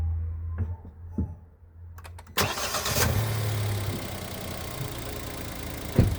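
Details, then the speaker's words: Kia Picanto/Hyundai i10 G3LA 1.0 engine with about 70,000 km, after timing chain replacement. It cranks, catches quickly and settles into an even, quiet idle; the earlier chain rattle is completely gone: normal start and idle. "come potete sentire il rumore è completamente sparito Quindi era proprio la catena di distribuzione"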